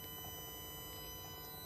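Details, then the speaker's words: Car audio system after installing a B2 audio signal splitter with new RCAs, first power-on test: steady quiet high-pitched whine of several fixed tones returns; owner suspects an amp, possibly the 600, since another splitter didn't help. "Turned it on to see if everything works. And the first thing I got was, you guessed it, the whine noise is back."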